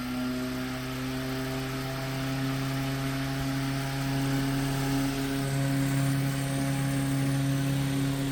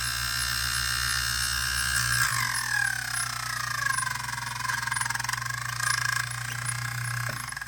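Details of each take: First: 1930s Robbins & Myers vintage fan after full restoration, with new wiring, plug and voltage-divider speed switch: a smooth, even motor hum with no scraping or brush chatter. Normal running; the oscillator knob is loose. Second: Robbins & Myers vintage fan, first test after restoration on a makeshift plug, with the blade, cage and gearbox off. It runs on all three speeds but seems to spin the wrong way. Steady hum with a pitch-sliding squeal; owner suspects brush holders or gears.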